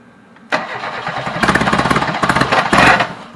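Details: Reliant Robin on its first attempt to run, with old varnished fuel in the system. The starter spins the engine in rapid, even chuffs for about 2.5 seconds, but it cranks without firing.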